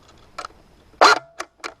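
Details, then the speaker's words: G&G L85A2 airsoft rifle in semi-auto: a few sharp, dry clicks without firing, gearbox not completing its cycle; owner suspects gear trouble, and switching to full auto and back restores firing. "right so you hear that now it's clicking this is a common problem with the LED 5s and airsoft apparently so it clicks like that and you're in semi-auto"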